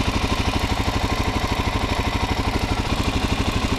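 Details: Stock 2019 Suzuki DRZ400SM single-cylinder at 452 miles, serviced once; steady, even thumping idle with light ticking valve clatter and no misses, a noisy but normal engine.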